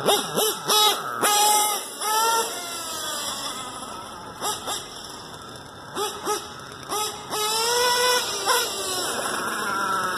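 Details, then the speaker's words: Stock LRP .32 Spec 4 nitro engine, idle and carb tuning not yet adjusted: quick rev blips climbing and dropping cleanly with no stumble; normal running. "And running very well. Haven't really messed with the idle or tuning or anything."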